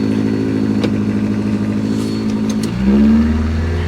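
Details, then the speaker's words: Auction vehicle: the engine is held at a steady rev, then blipped and settled, with a rough exhaust note that is a little on the loud side. "exhaust is a little on the loud side but I don't know I kind of like it"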